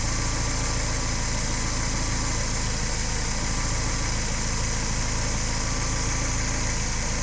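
Rough idle with irregular dull thumps breaking the steady low rumble, about four a second; the engine is misfiring at idle.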